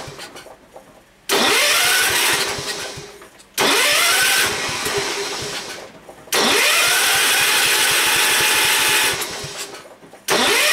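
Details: Ford garden tractor being revived, carburettor float set to maximum, both mixture screws about two turns out: the engine fires and revs briefly, then winds down and dies within seconds, repeatedly; fuel delivery problem suspected, later a screw blocking the fuel path was found.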